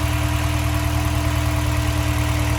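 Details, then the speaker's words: Honda S2000 idling with misfire, coil packs unplugged one at a time; idle keeps the same uneven lumpy throb when coil four is disconnected, so that coil is dead and needs replacing. "uh-huh that coil pack is bad i need a new pull clap"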